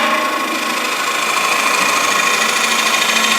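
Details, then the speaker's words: Finish-turning a dried bowl: a hissing gouge cut turns into a steady high singing buzz, harmonic chatter from the tool overhanging the tool rest too far. Fixed by lightening the cut and moving the rest closer. "oops here that was a harmonic vibration quite a ways over the tool rest right there"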